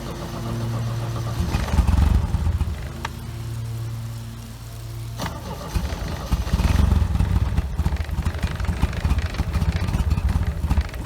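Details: OMC 2.5 L 140 hp sterndrive in a 1981 Sea Sprite, first start after sitting since winterizing, run on water muffs while warming as temperature starts to rise: a quiet, even low putter with a steady beat and no misses or knocks. Normal idle.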